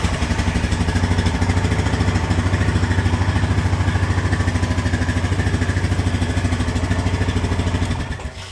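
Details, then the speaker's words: 2010 Honda Rancher 420 ATV bought as a project, battery installed, suspected stator/rectifier charging issue, ran without air filter, was low on oil: starts easily, even steady single-cylinder idle with no misses or clatter before shutting off. "starts up no problem sounds good"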